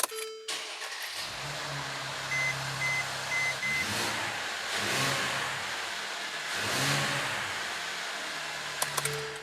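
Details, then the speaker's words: 2014 Mercedes C300 4Matic (M276 engine) started after spark plug replacement and intake reassembly to verify it runs as before; a couple of chimes, quick crank and catch, then a quiet, smooth idle with gentle swells: normal start and idle. "all right so starting up the engine after you do spark plugs is just something i like to do it's not really necessary but i've been doing it for my entire career and i just want to verify that the engine is still running just as well as it did before we took anything apart"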